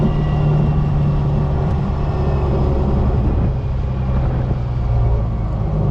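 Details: First-gen Cummins diesel truck running after hard acceleration pulls, letting the turbo cool down; transmission never broke 140 after over a year of extreme abuse. A loud, gruff rumble holds steady and strong with no knocks or misses; healthy running, with breather blow-by noted.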